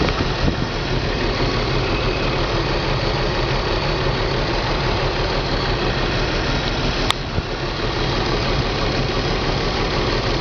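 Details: BMW 325 M54 every-morning cold start: lumpy idle with irregular stumbles about three per second, misfire codes on cylinders 3 and 5, sometimes 4; CCV, plugs, coils, fuel filter replaced, injectors cleaned; stops once warm.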